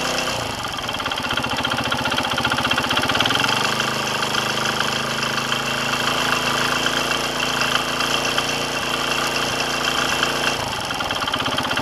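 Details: Kawasaki KSR110 idling: light, fast ticking about four per second over exhaust beat, apparently from top end; earlier rattle traced to cam chain tensioner, replaced, then new noise from piston/head area after riding, cause unconfirmed.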